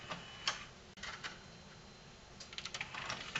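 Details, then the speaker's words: Sony HCD-GRX10AV mini system with a 3-CD changer, switched to CD function; the unit shuts off from a tape-deck fault: quiet irregular clicks and soft whirs as the changer hunts for a disc; normal search. "that is actually looking for a disc and it's staying on now"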